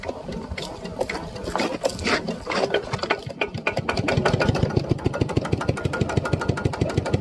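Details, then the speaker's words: Piston pump crankshaft assembly after adding about 1 litre of lubricating oil; it had knocked loudly from running without oil and rusted parts. Now a quick, even clatter with no heavy knock, running smoothly. "โอเคครับมันมีเสียงดังเพราะว่าไม่มีน้ำมันนะครับผมใช้ได้แล้วครับผมเมื่อเช้านี่มันดังแรงมากเลยเพราะว่ามันไม่มีน้ำมันหล่อลื่นนะเนี่ยสบายแล้ว"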